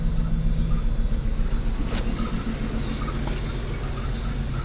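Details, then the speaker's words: 1995 Jeep Cherokee XJ, 30 years old, rebuilt engine, cylinder miss still present: rumbling idle just after starting with a loose rattle from the exhaust underneath. "Okay, well, actually fired right up. You can actually hear the exhaust rattling underneath."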